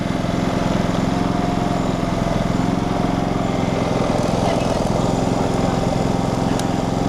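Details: Generac GP3300i generator (model G0071532) that won't shut off; the cause was later found in the coil kill-signal lead. The engine keeps chugging at a steady idle, about three beats a second, with no sign of dying.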